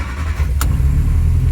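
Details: 1968 Austin 1100 Mk1 A-Series four-cylinder, first start after 3-4 months and mechanical work, partly warm, carb on initial settings, on choke at about 1400 rpm: deep, steady, even rumble with no misses or knocks; healthy fast idle.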